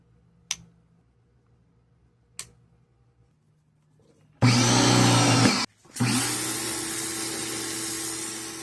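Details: Greenworks 1704 electric pressure washer that had stopped working, tested after repair work: couple of clicks, then steady motor hum and spray hiss, brief stop and even restart; runs properly.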